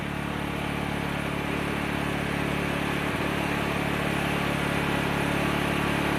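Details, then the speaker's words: Predator 3500 generator, three years old, first start after months in storage at about 57 °F: steady loud drone with even low hum, no load; still needs half choke, didn't want to come off full choke. "it's at about half choke right now didn't want to come off a full choke it's about 57 degrees today i think so i would have thought it would have come off a choke this early but i guess not"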